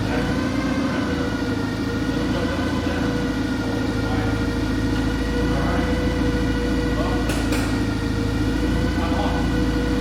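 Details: Clark forklift after repair and refresh: steady low engine drone, even hum, no knocking, rattling or hunting; normal smooth idle.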